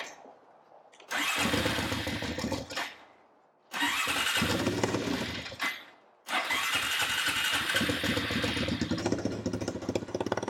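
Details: Honda TRX350 ATV after a carburetor cleaning and refitting a forgotten carb part: three tries, each catching briefly, then stumbling, rough and uneven. Owner suspects a valve adjustment or too little air-filter back pressure to lift the slide.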